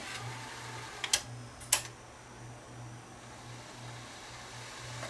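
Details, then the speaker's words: Sony DTC-A6 DAT deck, old, bought on eBay in 2010, serviced for tape loading problems and playback errors: fast forward and rewind shuttled repeatedly to free up the mechanism; quiet even motor whirr with sharp mechanism clicks, transport winding freely, normal. "going to run this back and forth a few times give the mechanism a bit of uh work here free things up"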